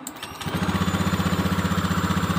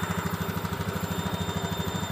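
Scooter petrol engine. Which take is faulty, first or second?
first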